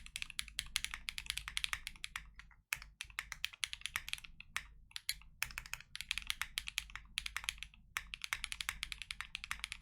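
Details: Full typing test of lubed KNC Keys Tofu Linear (R2) all-nylon long-pole switches, Freebird60 case, gummy O-ring mount, POM plate, silicone dampener and polyfil: crisp, even, deep, muted clacks, no rattle or ping. Normal typing sound.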